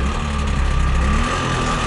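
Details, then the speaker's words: Trabant 601 two-stroke from a flea market, seized once, being driven home: rough lumpy running with rapid uneven clatter and hard bottom-end beat; crankshaft bearing failure. "Leute, das ist der Tod dieses Motors. Hört ihr das?"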